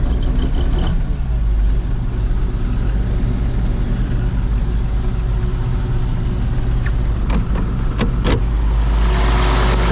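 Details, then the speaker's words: John Deere 8820 combine diesel after exhaust manifold gaskets replaced and aftercooler and coolant manifold refitted: steady, smooth idle, no ticking or puffing leaks; sounds much better, left to warm up. "a lot better that's a big win that is a big win I'll let it run for a a little bit let it warm up some"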